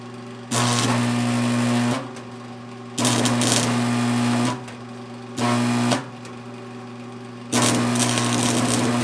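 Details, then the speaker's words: Repaired 1982 Montgomery Wards Powr Kraft 230 A stick welder, cranked all the way up, running 6011 5/32 rod: steady transformer hum deepens and strains as each arc strikes, with even crackle; welds well. Extra vibration comes from sitting on a metal plate. "You can definitely hear it trying to pull those things down. She's welding nice. She's making some vibrating sound just because she's on this metal plate here."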